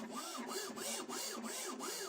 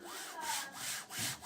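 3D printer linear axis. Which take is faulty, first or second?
second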